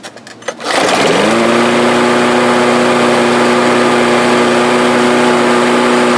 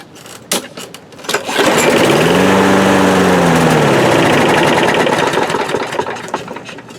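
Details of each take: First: Briggs and Stratton lawnmower that started then stalled, after the carburetor bowl jet was cleared with a wire and carb cleaner: pulls into life after a second, then settles to a steady, even drone with no surging or hunting. Normal running. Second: Briggs and Stratton lawnmower with bowl-type carburetor, after priming: pull-start catches, runs a few seconds with pitch sagging, then dies; starts then stalls.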